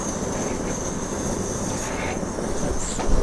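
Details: Trangia x2 multi-fuel burner, about 20 pumps of pressure: steady, even hissing roar with a faint high whistle, no sputter or pulsing, blue flame; the pressurised burner is running cleanly.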